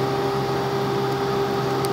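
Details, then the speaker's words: 2003 Honda Foreman 450, flame heating sensor until overheat light comes on, then heat removed: light goes off, fan keeps running, steady even mid-pitched hum, no rubbing or ticking; normal operation. "so what I'm gonna do is shut the heat off yep there goes the overheat light went off the fan is still running"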